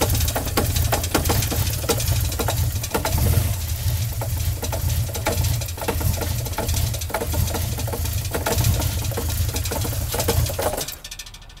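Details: Toyota MK3 Supra idling rough and shaking: loose uneven deep knock about twice a second, then shuts off; spun engine bearing, bottom end gone and needing replacement or swap.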